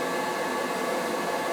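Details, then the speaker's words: Riello oil burner on an NTI boiler, annual service: steady even airy roar, no pulsing, flutter or rumble. It runs clean with no black smoke after a new nozzle and cleaned burner head; normal operation. "Yeah, she's running clean. If she was running dirty, you'd see it blowing black smoke out. It's fine."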